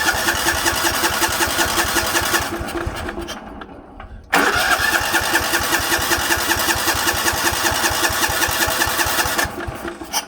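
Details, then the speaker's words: 1960s/70s Sears 10/6 lawn tractor: two cranking bursts with an even chug, no firing; fuel starvation, gas reaches the filter but is blocked somewhere past it, later fixed. "So, somewhere in this area, the gas is becoming stopped. So, let's figure that out."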